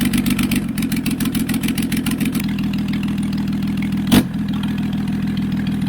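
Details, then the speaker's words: Flood-affected Toyota Land Cruiser 100 Series HDJ100, 1HD-FTE turbo diesel, first start after water found in fuel: uneven ragged chugging with a stumble and heavy blow-by; stuck rings suspected, improving as it runs. "yeah that's a lot of blow boy it could be stuck Rings"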